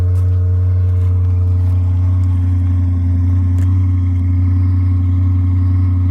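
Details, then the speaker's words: Stock exhaust baseline before exhaust work, on a newly acquired car: a smooth, deep, quiet exhaust burble at a steady idle with no ticks or misses, a normal healthy stock V8 idle. "All right, so we're in here. And this is stock. Nothing to brag about. Nothing to listen to."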